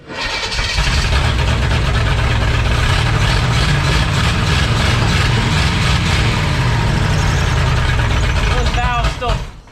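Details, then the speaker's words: 1962 Impala 350 V8 with no coolant, just after moving the distributor over one plug position; timing still not right and valves still need adjusting: a lumpy, uneven low beat with loud clatter on top, rough idle but much improved. "Those valves still definitely need adjusted, but it's sounding way better."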